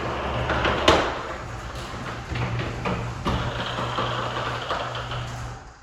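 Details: Wayne Dalton garage door opener hums steadily while sharp, irregular pops and snaps break through as the door opens and closes: loud popping during travel.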